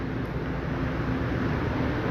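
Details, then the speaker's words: 5-ton General AC after new compressor fitting: compressor started and running with a low steady hum and airy rush, no clatter or rattle. Normal. "তো আমাদের compressor start হয়ে গেছে, running হয়ে গেছে।"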